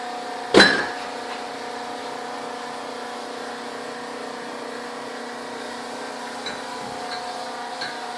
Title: Fridge making loud noise